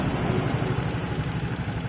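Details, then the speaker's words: Fairly new single-cylinder motorcycle, valve cover removed, engine running: light, fast, even ticking over steady idle, loudest at the front of the head; suspected loose valve clearance needing adjustment. "kencang banget kan ngeliiknya dari bagian depan sini ini saya curiganya di setelan klepnya yang kendor karena ini motor masih tergolong baru ya"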